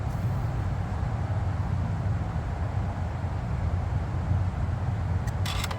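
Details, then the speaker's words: 2018 Ford F-150 2.7L after water pump replacement, jump-started from a dead-battery no-crank: the engine catches and settles into a low, even rumble with no misses, knocks or squeals; charging at 14.2 volts; normal start. "[Applause] starts up no problem look like we according to the jump box alternator is good we charging at 14.2 volts"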